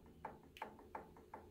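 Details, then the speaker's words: Sewing machine in zigzag with too much gear play in the zigzag mechanism; sharp hollow knocks about three a second that affect the stitching; fixed by reducing the play, not too tight or the gear breaks. "tá então essa folga aqui é o ideal ó tá Se tiver mais do que isso vai ser barulho aí ó se reflete na costura tá"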